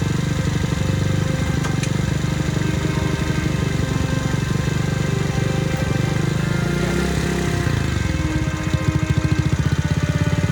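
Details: Childhood two-stroke moped after repeated failed clutch adjustments: rapid buzz whose idle wanders, then revs climb harder as the handlebars turn; throttle cable binding when steering.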